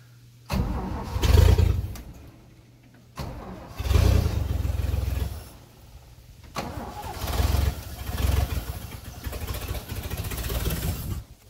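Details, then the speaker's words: 1978 Toyota FJ40 first start after sitting, oiled cylinders, fresh battery, gas poured in carb: engine fires in bursts, catches and settles into a rough but steady low rumble; suspected flooded but sounds good, running. "Flooded. Huh? I don't know. It sounds good, actually."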